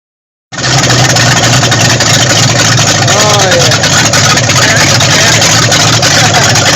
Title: 1974 Dodge Monaco 440 Running After Rebuild